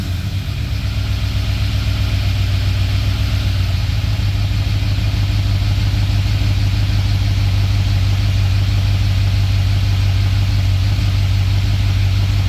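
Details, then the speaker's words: Ford EB Falcon XR8 302 Windsor V8 after a coolant leak repair, no longer sucking coolant into the engine: a strong, even idle with a smooth low beat and no stumble or tapping, sounds healthy. "Well, pretty happy with that. Lives nice, sounds good."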